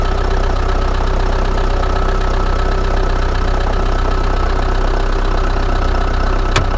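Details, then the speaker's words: Old Chrysler Voyager diesel started at -17°C (feels like -27°C), glow plugs suspected stuck: heavy clattering, steady, loud low-end knock at idle just after the freezing start; cold-running engine, cause unclear. "вот надо как-то завести этот старинный дизель у которого свечи накала видимо залегли не все так просто в такой мороз завестись поэтому буду использовать эфир для легкого старта и постараюсь каких-либо технических поломок это сделать"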